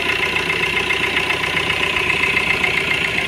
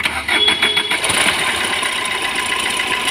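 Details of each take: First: Fiat Punto diesel at steady idle after water pump replacement to fix a timing-side rattle: even clatter and constant high whir, no irregular rattle; runs smoothly. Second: Fiat Punto diesel: fast light rattling from the timing side right after start-up, settling into busy chatter at idle; worn water pump bearing, fixed by replacing the water pump.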